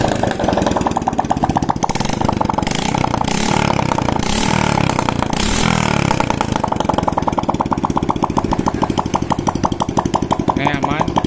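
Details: Honda Supra X 125 (KPH) after repair for white exhaust smoke, run without exhaust fitted: small single revs then settles into quick, even, loud open-port popping beat, no misses, no white smoke; healthy.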